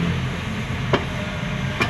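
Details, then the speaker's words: Nissan Sentra Exalta (J16) lifted, engine idling with aircon on: two sharp metallic taps about a second apart as the exhaust pipe knocks metal-to-metal against the body; fixed by adding rubber between them. "Ito yung tambot. So pag naka-aircon siya may maingay. So ito po yun oh tumatama."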